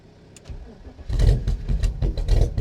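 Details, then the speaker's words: BMW 7 Series engine after corroded negative cables sorted: starter churns, a few ragged firings catch and rev briefly without settling to idle, then stalls; fuel starvation suspected, owner trying to purge fuel through. "turns out it didn't actually start after that initial crank up I paused it on I'll play you that audio now of what actually happened"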